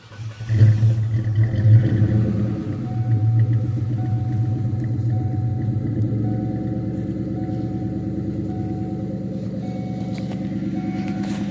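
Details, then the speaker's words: Car that sat unused, starting after a bad battery was swapped for a good one: low cranking churn catching into deep steady rumbling idle; normal start and idle. "So it starts. It's been sitting for a while because it hasn't been running."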